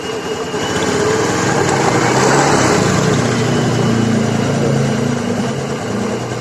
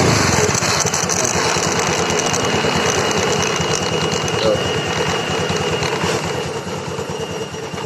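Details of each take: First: Honda Scoopy FI scooter revving after a stick of wood stuck at the rear wheel near the CVT was removed: steady even drone, no rubbing or knocking; the strange noise is gone, running normally. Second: Honda Scoopy FI scooter with a rough noise suspected in the CVT, heard when releasing the throttle. Rhythmic scraping pulse about three times a second, fading as the wheel slows; a lodged stick of wood was rubbing the rear wheel.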